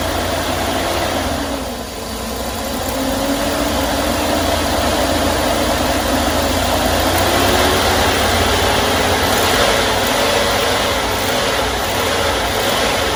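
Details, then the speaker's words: 2001 Chevy Express van, 4.3 V6, after sitting nearly 3 years, started on starting fluid after spider fuel injector install plus new ignition coil and distributor: lumpy, uneven shaking idle under loud hiss, smoking; rough running misfire, hoped to clear out. "looking pretty bad as it should there was a lot of stuff going inside that engine"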